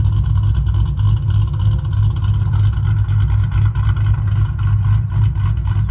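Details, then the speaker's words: Newly installed 4.6 3V Ford V8 after engine swap, oil cooler removed for filter clearance, no leaks: steady deep burble with even low pulse and no knocks or ticks, running smoothly. "So, anywho, then get the hood on it and do a little more driving and see how it goes from here. But so far, it's good."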